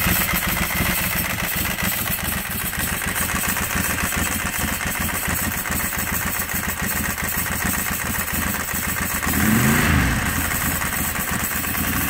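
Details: Ducati 748 bored to 853 with a big bore kit, first start after rebuild and fuel O-ring fix: twin settles into a steady, slightly lumpy idle and revs cleanly on a throttle blip; healthy.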